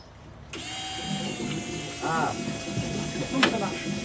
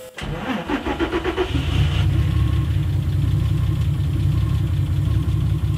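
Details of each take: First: Peugeot 205 turbo VR6 project, fuel pumps priming after fuel system work, before starting: steady electric pump whine with sputtering, gurgling bursts; air still in the fuel lines, wait until the air is purged. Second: Peugeot 205 with turbo VR6 (per tags), first start after the fuel pump was removed and cleaned and the fuel system bled of air: starter cranks quickly, engine catches and settles into an even, steady idle.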